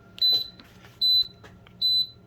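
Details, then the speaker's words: Kenmore dryer that turned itself on and beeped randomly, in diagnostic mode: short high even beeps about 0.8 s apart counting out error code 68, a stuck key button fault; next step the function/key test. "so it's a six and an eight so if we look here it says that there's a key button struck fault right one of the keys is stuck"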